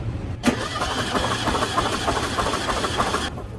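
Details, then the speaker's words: 1974 VW Super Beetle compression test, plugs out, ignition disconnected, throttle open: steady even cranking about three beats a second for three seconds; cylinders reading 130, consistent compression, normal cranking. "that one's right there at 130 as well nice looks like we might have a pretty consistent engine"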